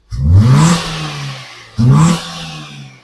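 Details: Maruti Swift Dzire: two clean throttle blips, revs climb quickly and fall back smoothly, where before it would not pick up speed.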